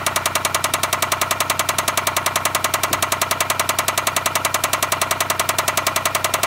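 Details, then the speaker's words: Loud, steady knock about two and a half times a second over a running petrol engine; rod knock that recently developed in a family member's car, from the crankshaft bottom end. "so basically that first noise that you're hearing is Rod Knock which is what happens when the crankshaft down"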